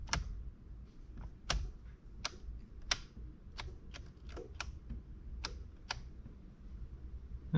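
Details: 2010 Chevy Malibu, new turn signal switch after the old one would not stay locked and popped: stalk tested before reassembly gives crisp distinct clicks about every half second, no pops or slipping; switch detenting properly.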